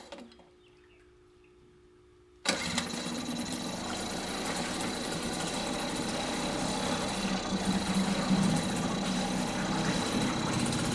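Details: Mercury 2.5 hp two-stroke outboard after carburetor taken apart, soaked and cleaned; quiet until it catches at about two seconds, then steady even buzz without stumbling: normal running.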